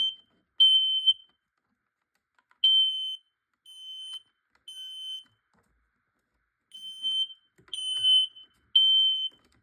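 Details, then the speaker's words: Detector in full alarm during a smoke and carbon monoxide alarm test: shrill high beeps in short irregular bursts over silence. It went off before the smoke test spray was applied. "That was so funny how it activated quick when I was about to spray it."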